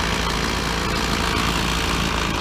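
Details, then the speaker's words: Petrol two-stroke trimmer after its carburettor was removed and refitted, warming up after a no-start: a steady, even idle with no misses, surging or rattles; a healthy engine after the fix. "Got to let it warm up. No problem, just want it warming up."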